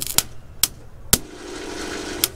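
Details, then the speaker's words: Dodge Dakota with a Magnum V6, non-starting and in neutral: sharp single clicks about half a second apart, then a faint hum, and the engine never turns over. The starter motor has failed and is replaced with a used junkyard starter. "you guys can hear it for yourself it can't turn over the truck so the same thing is inside so it's pretty much gonna lead to a starter so if we have the truck in neutral technically it should be able to turn over the engine and it's not doing anything really"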